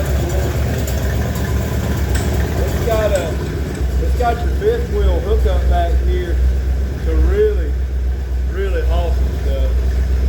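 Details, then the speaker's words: 1977 Ford F250 4x4 barn-find V8 running on an old used 2100 carburetor. Steady, even low rumble with no misses or knocks, faint voices in the background; normal idle. "all right you see the runners is running good the next thing we want to do is get this body off"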